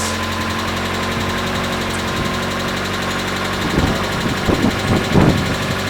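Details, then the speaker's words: Mazda Miata, first start after a DIY water pump and timing belt replacement: a steady, even idle with a smooth low drone and no knocks or misses. Normal idle; the owner still plans to verify timing with a timing gun. "I think it's good. I don't know. I'm going to use a timing gun on it later to make sure the timing's correct. But right now it's running."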